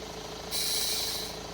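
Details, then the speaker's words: Transfer-box shift motor from a 2002 Range Rover L322 4.4 V8 (stuck in transfer box neutral, no drive) bench-tested with voltage on the top two terminals: short, smooth high-pitched whine under a second. Motor okay. "spins now when I put the voltage to it that means the motor's okay"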